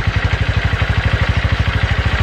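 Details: Honda Verza motorcycle single-cylinder, hard-starting fixed, idling after start with idle set slightly low, piston and block possibly still bedding in: even thump about twelve beats a second, no misfires; normal idle.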